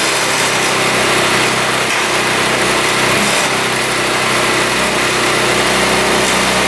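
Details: 2017 Tao Tao scooter, small four-stroke, after fixing a tight exhaust valve, cleaning the carburetor, fresh fuel and oil, started on choke: catches right away and settles into a steady, even buzzing idle; sounds healthy.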